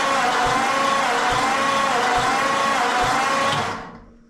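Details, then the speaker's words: 1940 Ford flathead sitting since the late 1970s, compression test while cranking; slow, steady cranking whir with an uneven beat about once a second; one cylinder reaches only 25 psi (others 100 and 70); owner suspects a leaky valve or rings. "again yeah it worked its way up to 25 so that one's definitely not good but there is compression there you can it's making compression so my guess is there's some really leaky valve or rings"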